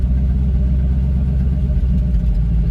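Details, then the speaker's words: 1986 Ford Mustang GT Fox Body V8, warm after about 10 minutes running with a steady coolant gauge: a deep, even rumble, no misses or ticks, holding a smooth idle; normal idle. "And um man, I couldn't be happier. Like I said, comes right back down to idle."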